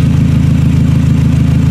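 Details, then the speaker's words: 2000 Toyota Camry, idling: loud, deep idle with a raspy chuff on every firing pulse. The exhaust leak from the rotted flex pipe has gotten much worse, and little comes out the tailpipe. "The exhaust leak has gotten a lot worse. Yeah, it's loud now. It's definitely loud. You can definitely hear it."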